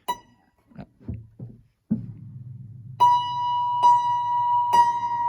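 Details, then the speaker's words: 1935 Blüthner 5ft grand piano, three plucks of one unison: the right-hand string sounds noticeably flatter and beats against its partners because its tuning pin is loose (the other two pins are firmer); the piano sits at pitch 428, a quarter tone flat. "So the right hand one is lower, so that indicates it's probably loose. Let's have a look. The pin is loose, but the other two are not so loose."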